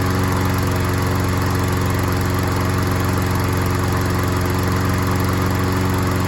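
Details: Troy-Bilt self-propelled mower after carburetor needle seat/gasket repair: steady even drone, running well; slight hesitation probably from a wet old air filter making it run rich, later replaced.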